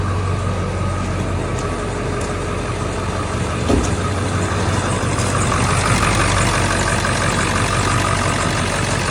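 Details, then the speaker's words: Eight-cylinder diesel with 263,000 miles, after the faulty IDM was replaced and broken injector harness pigtails were fixed. An even, steady clatter at idle with no misses, all eight firing, no smoke. The dried belt squeaks. Normal idle. "Nothing coming out of there at all. No pressure of any kind. It's not smoking at all."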